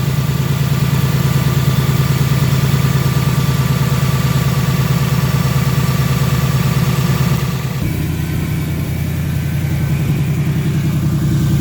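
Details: Brand-new 2018 Ford Mustang GT, gen 3 Coyote V8, on dealer lot: steady idle with fast light ticking over deep hum, holding through a small idle shift; owner believes it's a normal Coyote noise, unconfirmed.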